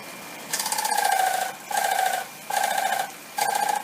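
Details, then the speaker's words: Haier air conditioner opened up and running: repeated buzzing, scraping bursts as the fan blades rub the inner styrofoam housing; fix is wedging the housing back for clearance and checking the front fan isn't loose. "our sound it's just this inner housing styrofoam housing rubbing against that fan so if we wedge this back making sure there's good clearance that should eliminate our problem"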